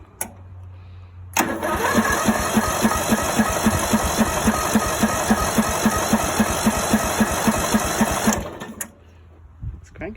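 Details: Greenfield E2000 ride-on mower, 17HP Briggs & Stratton Intek OHV engine, sat parked for years, choke on, jump pack for loose battery connections: starter turns it over steadily about four beats a second for seven seconds but it never catches.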